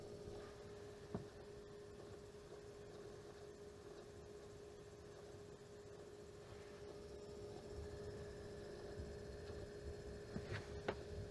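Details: AMD Vega 64 liquid-cooled graphics card pump gives a steady mid-pitched whine over a rough, rattly low grinding, with a few sharp clicks.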